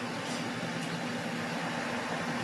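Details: Goodman outdoor AC condenser on spring startup, running for pressure readings: even, steady hum with a low drone and fan rush, no rattles or squeals. Low side 140, 18-degree split, so pressures are good and the unit runs normally.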